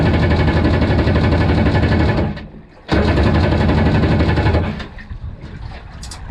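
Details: Single-seat aluminum mini jet boat with 750 Kawasaki jetski engine, on-water test run in ice-cold weather and choppy waves: engine note cuts out abruptly, picks back up, then sags again; not running right, cause unclear; poor running under load.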